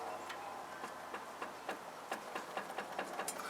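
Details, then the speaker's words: 1992 Toyota 4Runner 4WD with 280,000 miles; light irregular clicks as the front wheel is rocked show a loose, worn wheel bearing, loose on the back side. "don't know if you can hear that yeah loose"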